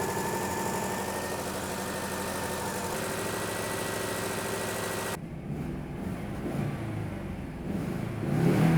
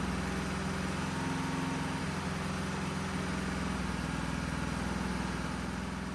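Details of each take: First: Citroën GSA after months of troubleshooting and engine adjustments: steady, even idle with a smooth unbroken hum and no knocks or misses; runs perfectly after the fault was found. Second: Citroën GSA, after final engine adjustments, started to build hydraulic pressure before its first drive: low, uneven idle with an irregular, lumpy beat; somewhat better than before but still not right, cause unconfirmed.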